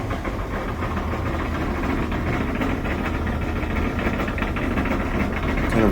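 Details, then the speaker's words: LG dryer while running: steady low rumble with a rough, gritty texture as the drum turns, no clear knock; worn drum support roller, usually one of the two front wheels. "Kind of a rumbly noise. Usually this is due to a worn out support wheel."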